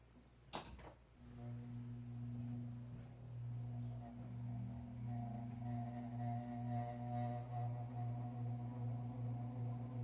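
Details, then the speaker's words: Likely mid-late 1970s Codep 48" spinner ceiling fan with heavy cast iron motor, started on high via a 4-speed control: a click, then a loud steady low hum that builds slowly with slight wavering as the heavy motor spins up. "Okay, let's start it up on high, and you'll hear the loud noise it makes."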